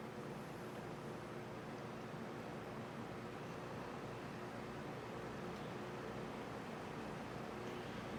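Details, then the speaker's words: Mid-to-late-1950s Atkins Breeze-All 20" box fan by Hunter/R&M, shaded-pole 6-pole Hunter motor, heavy solid-steel blades, running on low speed: a quiet, steady hum and even air rush with no rubbing or rattle; runs smoothly. "Now for demonstration here, we're going to start up on low. And then we're going to turn it back off with the thermostat, turn it up to high, and after it stops, turn it back on to high. And that way you can hear the startup sounds that this fan makes on both speeds."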